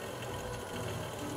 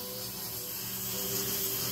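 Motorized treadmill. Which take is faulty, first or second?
second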